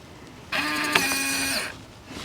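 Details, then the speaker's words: RV door lock with new batteries, beeps muted by holding keypad 1 for five seconds, locked and unlocked by code and fob: about a second of buzzy motor whir, no beeps; works normally. "no beeps okay [Music] i put in my code no beeps use the key fob no beeps that's lock and that's unlock"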